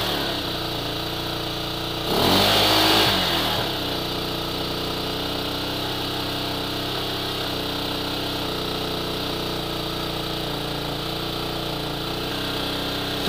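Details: Hawk 250 just after a kick start at 20°F: a quick, steady, even-firing fast cold idle with a brief blip near two seconds, warming up fine.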